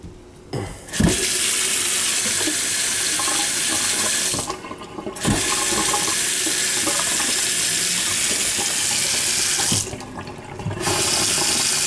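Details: Kitchen faucet (hot side only) after a high-pitched whistle and banging noise; likely sediment. Steady even hiss of running water with brief shut-offs, no squeal, hammering or banging; normal flow, no leaks.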